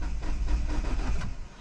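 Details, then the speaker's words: 2009 Mini Cooper S (R56, N14 turbo), unknown history, battery charged after sitting: low, uneven cranking rumble with a few stronger bursts, very close to catching but not starting; cause not confirmed. "And you can kind of hear it like get a little bit closer. It's like definitely sounding a lot more close than before."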